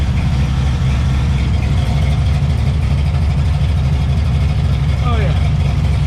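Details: 1991 Chevy S10 with small-block V8 swap at idle after fixing the shorty headers and refitting the exhaust: deep, steady burble with no ticking or puffing from the headers; quiet, sealed and healthy.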